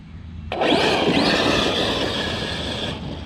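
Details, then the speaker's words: Losi DBXLE RC truck under throttle: sudden high screeching rasp for over two seconds as the center differential slips before the truck hooks up. "oh you can hear the screeching from that Center diff slipping see how it's trying to come up oh definitely don't like that but watch listen for the screeching that'll be the center diff diffing"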